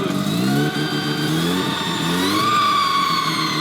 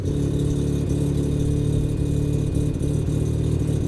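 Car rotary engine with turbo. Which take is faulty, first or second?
first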